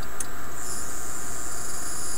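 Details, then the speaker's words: Rodin coil driven by a microwave oven inverter at 60 V input, 10% duty cycle, LEDs on output; loud steady high-pitched electrical buzz, cause unclear; high-voltage coil buzzing. "TDA now you hear it buzzing and I don't I do not like that buzzing sound"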